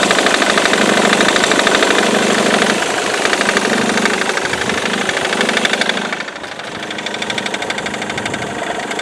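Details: Ford Mondeo Mk3 2.0 TDCi diesel idling with a rapid, fairly steady knock of about three beats a second; noise persists four months after replacing the crankshaft pulley (FEBI), accessory belt and tensioner.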